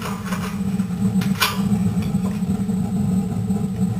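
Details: Suburban RV furnace that had sat a while, started in cold weather: after the pilot held and the main gas was turned on, a low steady rumbling roar with light clicks shows the main burner lit and burning normally.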